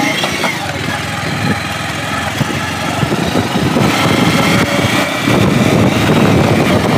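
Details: Bajaj Pulsar 150 after full engine rebuild, carburettor untuned (idle hunts, speed rises when clutch pulled, suspected carb fault), riding: picks up cleanly from idle, smooth even exhaust beat, no tapping or rattle; healthy engine.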